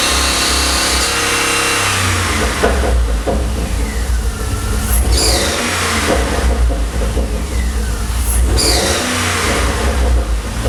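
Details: 2009 Pontiac G8 GT with cortex, rotofab intake and cat-back Solo Mach shorty exhaust, repeated revs with a brief high chirp or stumble near peaks; intermittent squeak or misfire, cause unclear.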